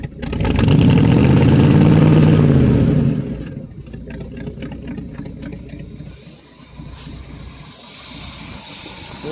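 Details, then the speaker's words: 1967 Chevrolet C10 small-block V8, first run after 3–4 years, glasspack exhaust: throttle held up, deep loud burble then settling to an even rumble; revs freely and sounds good. "still sounds good anyway give it a little bit of throttle bring it up and hold it"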